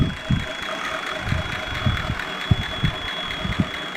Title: CJ7 AMC 304 Howell TBI Whistling Noise at Idle